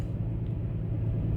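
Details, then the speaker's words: 2005 Toyota Tacoma with cylinder 1 misfire; after moving the ignition coil to cylinder 5 the misfire followed to cylinder 5: low, lumpy, uneven idle rumble; faulty ignition coil confirmed. "se pasó el Miss fire Miren el cilindro 5 miren allí arriba dice miren cilindro 5 Ahí está la falla hoy cilindro uno no hay falla"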